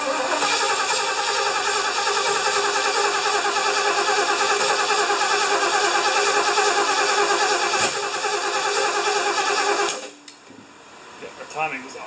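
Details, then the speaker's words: 1975 Lincoln, just reassembled, first start attempt in a hot shop with vacuum lines plugged and one squirt of fuel in the carburetor: the starter grinds steadily for about ten seconds without catching. It is hard starting, likely because the distributor was installed one tooth off. "I didn't think it'd be this hard to start I don't know if it wants to choke or not"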